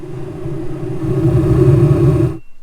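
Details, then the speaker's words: Old Hydro Flame furnace in a vintage Barth motorhome, the second of three units tested: a steady low roar and even hum with no rattles, ticks or surging until shutoff, with bugs burning off in the exhaust. Blower and burner work normally. "again the smell of burning bugs but it's working we got blower sounds good burner's working"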